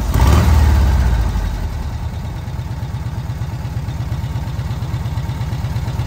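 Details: VW Kombi petrol engine on its carburettor after the jet (chicre) was swapped and the air adjusted on restart: a revving burst settles into a fairly even low air-cooled idle pulsing around three beats a second; normal idle.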